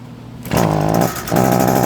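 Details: Echo SRM 225 two-stroke string trimmer that won't throttle up: buzzy note surges briefly then sags and won't climb in revs; bogging from a clogged muffler spark arrestor screen, no exhaust felt behind muffler.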